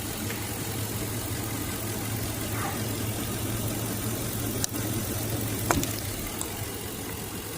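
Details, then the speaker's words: Engine at idle just after the mass airflow sensor at the air box is unplugged: steady low hum turns slightly uneven and shaky, motor shook a little; scanner MAF reading drops to 1.58, rough idle without the sensor. "Hear that? Motor kind of shook a little bit."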